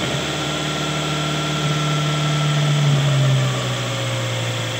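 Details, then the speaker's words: Toyota that would not start, fuel system checked: engine catches with a steady low hum that swells then sags and fades as it dies; a vacuum leak is causing the stall. "ah Ayon Kaya namamatay may vacum lake ito"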